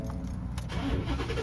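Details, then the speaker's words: 2018 Ford F150 5.0 V8, 6-inch lift, 115,000 miles: keys rattle, a short crank, then it catches at once to a firm idle. A clean normal start, though the owner reports an intermittent problem on warm starts only. "Yeah, it started right up."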